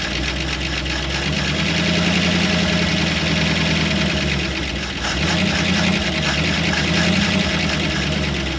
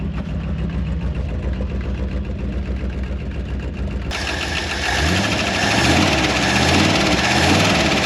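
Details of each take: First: Early-1960s Ford F100 shortbed unibody V8, first run after sitting 25+ years in woods: steady, even idle with low rumble and light top-end tick from slightly noisy lifters, some exhaust leak; oil pressure over 60 PSI, motor sounds good. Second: Early-1960s Ford F100 unibody shortbed V8, first run after 25+ years abandoned in woods, loud exhaust at idle; light quick ticking from lifters a little on the noisy side, oil pressure good at over 60 PSI, burning off debris from exhaust.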